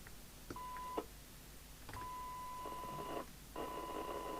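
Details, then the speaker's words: Commtron CB40F CB27/81 UK FM CB radio (Maxon built, December 1981): signal-generator test tone comes through harsh and buzzy with extra overtones and dropouts; distorted receive audio from misalignment. "he is quite correct it doesn't sound right when you actually have a signal on it"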